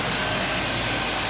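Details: 2000 Chevy K2500 with 5.7 Vortec CSI, after the crank-no-start repair and with the distributor timing adjusted into spec: steady, even idle with a smooth hum and no misses, knocks or ticks; healthy, settled engine.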